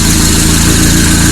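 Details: RWD turbo Nissan Micra with a racing engine on a 280 hp map, first start: loud, lumpy low idle with an uneven chuffing pulse and coarse tractor-like beat; running rough.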